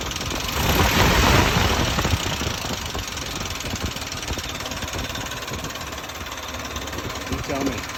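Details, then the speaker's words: 1971 Jeep CJ5 with Buick Dauntless odd-fire V6, just bought: rough tractor-like idle with loose steady clatter about four knocks a second; owner unsure if normal, cause not found; clanking idle. "Kind of sounds like a tractor to me. [Music] So, I'm asking, is it current? Is this what it's supposed to sound like? Is this the odd car? There's that clinkity clank. Something that shouldn't be clanky clanking."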